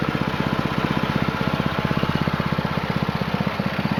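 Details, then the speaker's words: New Honda GX200-clone single-cylinder on a Split-Fire 2265 wood splitter, break-in after two 20-minute runs varying rpm idle to full, restarted choke off: steady even beat about four pulses a second, no misses or knocks; normal running. "running here now for two 20-minute periods, probably, just varying the RPMs from idle up to full to somewhere in the middle and back and forth."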